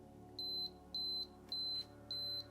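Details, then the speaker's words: Canon AE-1 Program battery check button pressed: high clean beep repeating about twice a second, meaning the battery is low and should be replaced soon. "you hear it's a about two beeps per second um that means uh you should replace your camera soon"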